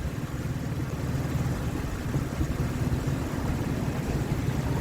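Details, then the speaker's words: 2003 Ford Explorer that failed inspection for misfire, after replacing a bad ignition coil; low, even idle with no stumble or skip, smoothing further with slight throttle. "Running smoother than it was. And once I put some pressure on it, it smooths right out. I like it."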